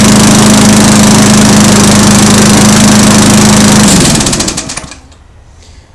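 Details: Small engine after valve lapping and reassembly, primed twice: better compression, starts on one pull instead of 3–4; catches and runs at a steady even beat with no misses, then shut off and spins down; normal running.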